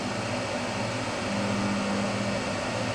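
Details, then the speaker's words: EEL DIY V5 battery box (EVE LF280K cells, JK BMS) near empty under heavy inverter draw, about 63 A: low, steady hum that restarts immediately with the lid back on; no hotspot found, cause not pinned down. Electrical hum under load. "okay let's put the lid bag on and see if it's still does this hming yes it starts immediately"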